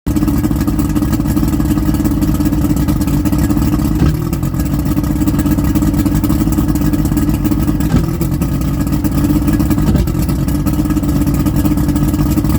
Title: Rough Idle